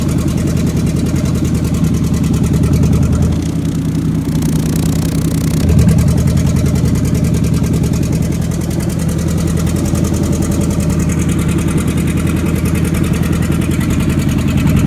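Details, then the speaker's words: Chevrolet 454 big-block V8 run without mufflers, checked for knock: loud, lumpy idle with rapid popping crackle from open headers and no deep knock underneath. Normal running with open exhaust crackle. "I couldn't tell with the noise coming out of this exhaust. I was pretty sure it was exhaust, but it's too loud."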